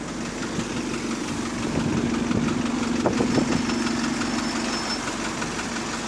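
Deep diesel idle with a loose, uneven knock about three times a second riding on top; a knock from the bottom end is suspected.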